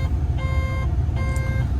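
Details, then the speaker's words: Develon or Mecalac construction machine idling on diesel, with a regen pending. Repeating mid-pitched beep, about half a second on and a third off. Warning buzzer of unknown cause; the mechanic wonders if the thumb wheels not returning to neutral are to blame. "I don't know why that's beeping at me then. That's strange, that."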